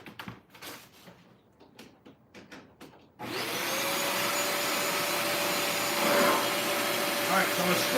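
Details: Bissell Lift-Off carpet shampooer during a suction test: after handling, the suction motor spins up to a steady, even whoosh with a constant whine. A spray problem was first suspected, but suction is working normally.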